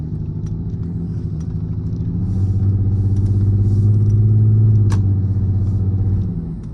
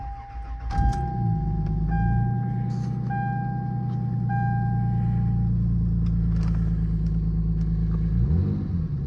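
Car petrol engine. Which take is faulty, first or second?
first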